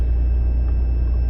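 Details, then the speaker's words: 90 Series Toyota Prado after fitting a DIY 155 L long-range main tank (214 L total), idling on the main tank before switching to the sub tank: deep, steady low rumble with no dips or stumbles; normal idle. "oh my God that's running oh my God it's running on Main because the fuel the lights off"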